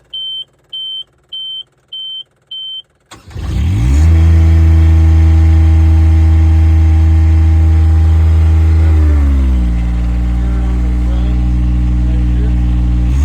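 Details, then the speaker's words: Miller Bobcat 200 Air Pak diesel welder compressor after repairing rust-locked compressor and fixing insufficient airflow: five warning beeps, then diesel fires to a smooth, even idle stepping down slightly; normal diesel idle. "messing with it, found out a problem. It just wasn't pulling enough airflow, so now we got it working."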